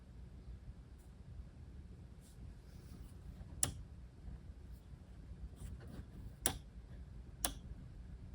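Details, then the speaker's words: Gray 5.25" floppy drive sent for repair, first power test, no data cable: low hum with scattered uneven ticks as spindle motor hops around; owner suspects power supply not giving the right power. "Motor's hopping around a little bit. It's possible that this power supply doesn't have the right power."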